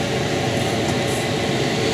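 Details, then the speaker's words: Sprinter camper van diesel heater running overnight in winter at 2000 m altitude, cabin at 17 degrees: steady airy blower rush over a low even rumble, no knocks or grinding; normal heater fan operation. "this is still setting up back and forth my heating is noisy 17 degrees now inside"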